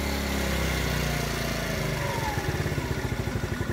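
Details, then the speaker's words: TaoTao 50cc Chinese GY6 four-stroke scooter after a carburetor change, idle adjusted higher: the even hum sags into slow, uneven chuffs after the throttle and nearly stalls; the bogging is inconsistent and the cause is unconfirmed (valves considered). "still bog down the like it's really really dim it may or may not cut out right now it's running but it's running very very you know it's about - it's about to cut out"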